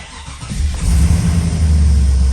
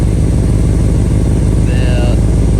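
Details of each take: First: Holden VT Clubsport V8 being rebuilt after a wreck, start the day after a stuck lifter ticked loudly until warm: catches quickly into a deep even idle, no top-end tick this time; healthy. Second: Holden VT Clubsport V8 under rebuild at idle: deep steady note with a puffing tick on each pulse; bad exhaust leak where the pipe splits off the cat (not a joint), possibly causing sluggishness; needs fixing.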